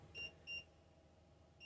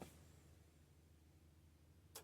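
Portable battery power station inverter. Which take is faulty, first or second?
first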